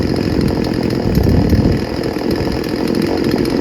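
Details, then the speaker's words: Craftsman 16-inch 38cc two-stroke chainsaw running with a steady, even buzz, holding speed without bogging or dropping out; brought in as faulty but nothing wrong found, running unusually well. "Yeah, that's really good. It's rare. Chainsaws don't usually run so good."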